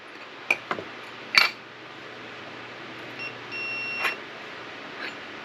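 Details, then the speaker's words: 1976 Corvette ammeter gauge/wiring check, digital multimeter on continuity with audible alert, probes touching gauge posts: quiet room, a few clicks, then a short clean high beep; continuity present, gauge circuit good. "And we'll do a simple ohms test or a continuity test. I don't know if you'll be able to hear it, so we'll put it on the alarm."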